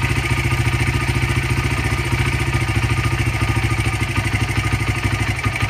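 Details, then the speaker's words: 2015 Honda CRF80 slightly warmed up, idle mixture screw turned fully in: lumpy, uneven idle pulsing about 107 times a minute and sagging toward stalling; lean rough idle. "Bike's not happy. Come back out one. full turn, picks back up."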